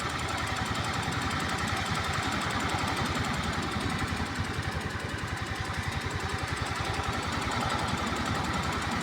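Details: Scooter engine at idle with fast, even knocking locked to engine speed, a few hits per second over a rough putter; abnormal knocking, source unknown.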